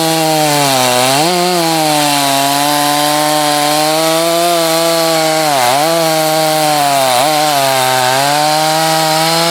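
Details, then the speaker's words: Husqvarna chainsaw test cuts in firewood (51 salvage saw tested alongside a 254 and a 562, the 562 heat-soaked, then hot starts): high steady saw scream dipping briefly as the chain loads in wood and snapping back; strong, healthy saw. "all three of those saws would be good firewood saws obviously the 562 is faster that 254 is quicker than you think that darn thing's got some power and that 51 that thing runs strong"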